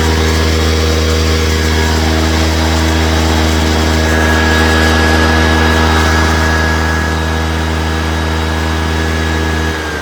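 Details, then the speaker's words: Honda EX350 inverter generator in high output mode with the Kill A Watt meter plugged back in, started after sitting a while with some fuel in: a constant, even drone holding steady speed for ten seconds before shutting off. It runs smoothly and healthily. "plug the kilowatt back in and high mode that's an inverter for you"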